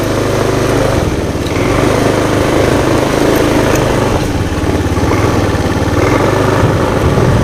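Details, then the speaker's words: Honda Beat FI injected scooter, after ECU replacement fixed stalling and hesitation on throttle, road test at light throttle: steady even buzz with no stumbles or sputtering, pulling smoothly; running normally. "Tadinya kan gas kecil atau gas setengah atau gas full dia mati atau enggak bisa jalan ngegjed sekarang udah bisa nih lihat nih kita gas"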